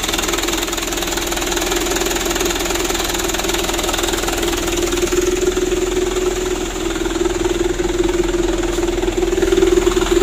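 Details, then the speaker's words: 2010 Mitsubishi Canter 125 PS diesel truck after tuning, fitted with a "Srigala" aftermarket exhaust; loud steady diesel drone with constant low throb at idle, burying any turbo whistle; loud aftermarket exhaust note. "untuk suaranya besar ini dikarenakan kenalpotnya pakai knalpot srigala temen-temen jadi suaranya besar kalau untuk dengan turbonya tidak kedenger ini dikarenakan kenalpotnya seperti itu"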